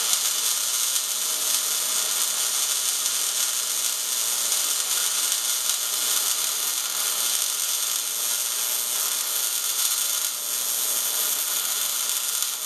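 Steady, even sizzle like frying bacon with no pops or sputter: a MIG arc running at correct voltage and wire speed.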